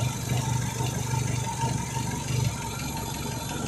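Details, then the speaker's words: Renault Megane 2 after a spark plug change: low, lumpy idle with an irregular rhythmic stumble, rattle and shake. Misfire at idle, source not yet found. "A little shake. Get on this fire. getting a misfire"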